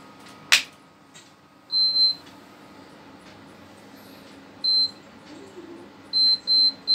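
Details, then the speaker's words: Prestige induction cooktop refuses to heat with a pot on it, repeating high, sharp beeps and later showing E4 error. "When I turn this thing on and put some pot on it, then it doesn't work, it doesn't heat up, just keep on beeping."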